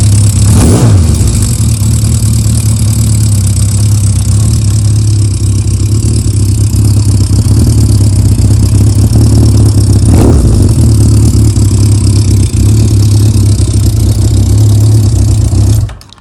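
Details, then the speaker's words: Motorcycle idling just under 1,000 rpm from nearly cold after Sea Foam carb treatment and a clutch shim: steady tick-over with light valve-gear clatter and no clutch rattle, a normal idle. "I mean, there's no clutch noise at all. You can hear the valve gear going, now that's what the shim's done. So there's no clutch rattle whatsoever on that."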